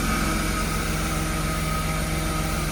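Steady, even six-cylinder idle with a smooth low drone and no stumble or skip heard; it sounds like a clean-running idle.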